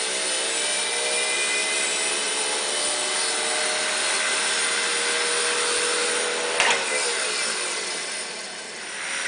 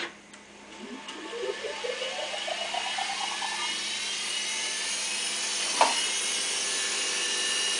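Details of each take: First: Studer A80 reel-to-reel master recorder, ex-BBC editing machine with about 20 transport bearings replaced and mechanics and electronics serviced, rewinding: smooth even hiss with steady high tones, no shrill whine; quiet, healthy transport. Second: Studer A80 reel-to-reel master recorder, ex-BBC editing machine, rewinding: as the reels spin up a high-pitched whine climbs and holds, suggesting the roughly 20 transport bearings have not been replaced; cause suspected, not confirmed.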